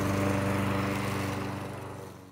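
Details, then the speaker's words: Briggs & Stratton Murray mower engine reassembled after sudden compression loss, with a new crankcase gasket: under grass-cutting load it holds a steady, even single-cylinder beat with no misses or knocks, then shuts off. "so there you have it it's running again"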